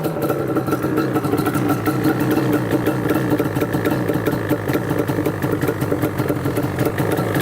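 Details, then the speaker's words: Yamaha Banshee two-stroke ATV, warming up after a kick start: busy crackling idle with uneven throttle blips, burbling and smoky-rich; a fitted part keeps the choke effectively on, causing rich running. "A little smoky girl in the back there. Little on the rich side. Oh yeah, baby, it's warming up now. Let's give it a little bit of throttle here. Sounds like the choke is still on."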